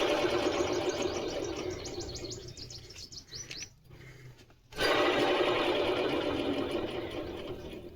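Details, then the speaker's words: Honda Unicorn motorcycle serviced about 10 days ago with new chain sprocket kit; dry chirping rasp two to three times a second as wheel spins, from sprocket bearing. Bearing not faulty, just needs greasing. "So என்னன்னா இது bearing பிளேலாம் இல்ல friends இது bearing fault bearing நல்லா இருக்கு. But என்னன்னா கிரீஸங் பண்ணி போட்டாவே முடிஞ்சு போயிடும்."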